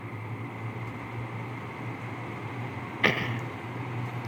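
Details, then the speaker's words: LG 5,000 BTU window air conditioner, fan only on low, compressor off: soft steady fan hum with faint low drone, no rattle; noticeable but not bad; normal fan operation on low. "So, with just the fan running, I mean, you can hear it. It's noticeable. But it's really not that bad."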